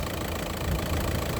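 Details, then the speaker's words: VAG TDI diesel (Seat/VW/Skoda, 2003-2010) after injector replacement and fault codes cleared: steady low diesel clatter at idle, stable with no shaking, no longer moving like before; normal engine sound. "Là, vous voyez, le moteur est stable, il ne tremble pas. Ça, c'est le moteur normal, le bruit du moteur."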